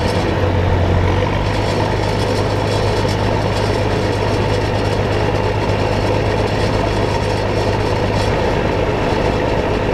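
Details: John Deere combine diesel engine warming up at idle on a hot day; steady, even low drone with no knocks or misses; normal warm-up idle.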